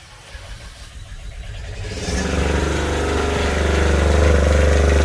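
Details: Fischer Panda diesel genset on a Grady White 335 Freedom, after replacing an impeller missing blades: cranks, catches after about two seconds and settles into a steady, even running note; generator starts and runs normally.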